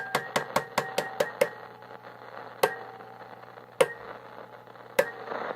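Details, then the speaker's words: 1950s GE P672A AC/battery portable tube radio: each tap sets off a brief metallic ring through the speaker, microphonic 1-volt DC tubes. "I did notice that these tubes are pretty microphonic, which I think is pretty common for the 1-volt DC tubes. You can hear that when you tap on it. Lots of ringing out the speaker."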